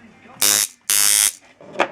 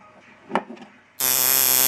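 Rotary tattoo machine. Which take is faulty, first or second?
second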